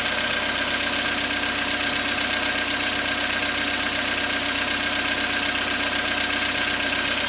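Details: Cold-idle engine knock on a 2014 Skoda Rapid with the 1.6 CFNA engine, 27,630 km, started after overnight parking at −0.5 °C; fast, fairly even tick about four times a second over a steady hum, source not pinned down.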